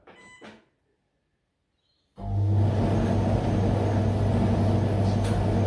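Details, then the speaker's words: New Esatto 7kg heat pump dryer, first use on auto program: after a quiet pause starts into smooth steady low hum with no knocks or scraping, quiet enough to talk over; normal running. "so here are that's how noisy it is if you hear me talking same voice that means to me i think it's not noisy at all it's actually very nice"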